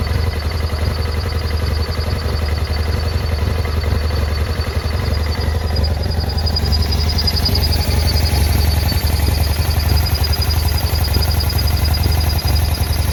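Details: 2009 BMW F800GS with a very rough idle and cutting out in traffic: uneven beats near four per second that never settle, caused by one torn idle vacuum hose and the other broken off the airbox spigot; fixed with new hoses.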